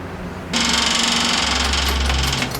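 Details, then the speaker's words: MGA 1600 roadster with a manual choke, at first start after fitting a cheap exhaust: rapid buzzy ticking of the electric fuel pump that quiets once the line has enough fuel, a normal prime. "Hear it get quiet? Yeah. It's because now it's got enough fuel."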